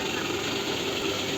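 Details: Toyota Estima, engine idling with accessory belt removed: light fast metallic chatter at front lower engine near pulley; balance shaft gear rattle, not compressor or belt.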